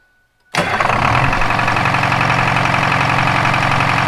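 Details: Detroit 4-53TIB two-stroke diesel starting after a turbo swap from a Garrett T04E .96 A/R to a .81 A/R exhaust housing, exhaust clamp torqued, checking for leaks: it catches at once and settles to a steady, even idle with no misses.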